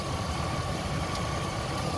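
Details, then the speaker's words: 2005 Chevy Silverado 5.3L V8 after water pump, oil pump, timing chain and A/C compressor replacement, cold weather with A/C cycling briefly; low even idle with faint steady whine, no knocks or ticks; running nice and quiet. "so it is cycling it has come down on its own i can hear the little switches activating right now it's off you can see now it's running nice and quiet"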